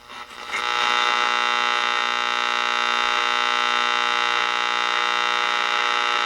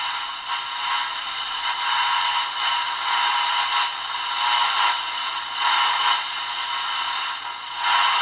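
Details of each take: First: Ross RE-1207 radio on the bench after re-cap and repair, soldering station nearby contributing noise until switched off: steady buzzy hum with a stack of even tones under the radio, mains hum interference. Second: Ross RE-1207 radio after main filter capacitor replacement, other capacitors still original: plays the local station with steady hiss, no hum or crackle, weak pickup at the other end of the dial. Normal radio reception.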